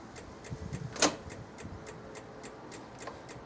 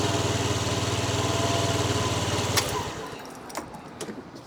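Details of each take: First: Old Honda DIO 50cc scooter giving only light regular ticking, about three a second, with no cranking when the starter is pressed. The starter solenoid clicks because the battery is dead or weak; the kickstart still works. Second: Old Honda Dio 50cc scooter after battery replacement (previously only clicked; kickstart worked): small engine putters at an even, steady idle for a few seconds, then shuts off; starts and runs normally.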